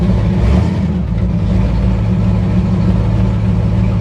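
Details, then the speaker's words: 1964 Impala 454 big-block V8, cold start with lifters clattering: loud, deep uneven lumpy stumbling beat, running terrible; owner thinks valves may need adjusting again and wonders if the engine is tired. "I might need to run back through the valves again and it is running terrible at the moment"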